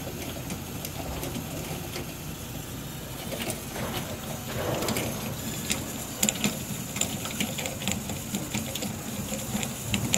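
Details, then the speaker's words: Beretta bithermal boiler without plate exchanger, heating domestic hot water: rushing water with scattered sharp ticks and bangs at the top; limescale-clogged exchanger, probably with water boiling inside, stops when hot water closed; fix is descaling with boiler acid pump. "a questo rumore che probabilmente è sopra l'acqua che bolle all'interno dello scambiatore."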